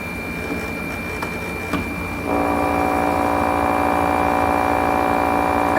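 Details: Window air conditioner after repair, with the part that had been tapping against the compressor bent away and a wedge moved, kicks on and settles into a steady, even hum with no rattling or tapping.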